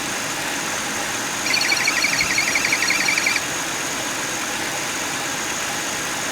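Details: 2009 Buick LaCrosse 3800 Series III V6 at idle: thin high-pitched chirping whir that swells for a couple of seconds; bad water pump bearing.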